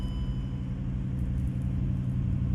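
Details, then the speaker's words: 2007 Range Rover HSE 4.4L V8 with a start-and-stall fault, codes U0151/U0452; airbag module power problem found. After the repair it restarts and holds a low, steady, smooth idle with no stumbling or dying. Normal idle. "So now if we shut it off, start it back up. Look at that. Starts right up."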